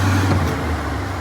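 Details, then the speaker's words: 1988 Ford F150 5.0L V8 with a hard-start, long-crank problem after the fuel pumps and filter were replaced and the tank cleaned. With the engine coolant temperature (ECT) sensor unplugged it fires right up. It settles into a steady, smooth idle with no misfire. "Fires right up. Even sounds a lot smoother."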